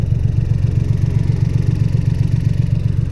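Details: VW Up TSI after a backfire, fault in the 3rd cylinder: low idle with a lumpy, stumbling beat and regular hiccup in the firing; ignition misfire, spark plug suspected.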